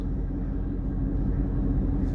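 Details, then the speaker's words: 2019 Mustang GT V8 at a deep, steady idle with an even beat; the intermittent front-end chirp or squeak, which the owner suspects is a belt and which occurred more in summer heat, is absent here. "running just fine no weird noises probably won't work out for us today"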